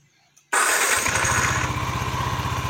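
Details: Yamaha NMAX 155 (old model) after code 61 repair (idle control 33.5% engine off): quick starter whir, catches at once and settles into an even, steady idle with no misses — healthy start.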